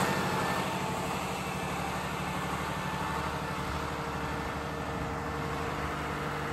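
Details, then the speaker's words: Old air-cooled 109.5HP Lister diesel backup generator (about 100KVA) on monthly check start: after a cold start it settles into a very loud (over 90 dB), steady, even low chugging idle with no misses or knocks. "all right so walked away from it now because it is so loud can't hear myself think"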